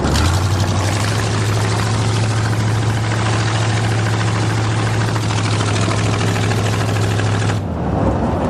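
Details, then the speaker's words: Buick Roadmaster 5.7 L fuel-injected throttle-body V8 idling through newly completed custom chopped open headers: loud, deep, steady rumble with even low drone, no misses or ticks; healthy normal idle. "That sounds awesome. You like? I like. Well, see you later. Very nice."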